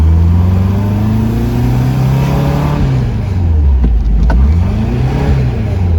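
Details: Porsche 914, newly built 2056 cc engine, dual throttle body MegaSquirt EFI, performance cam, enlarged valves, Tangerine Racing exhaust, 123Ignition, road test in basic tune: throaty note climbing and falling smoothly, pulling evenly with strong torque; healthy.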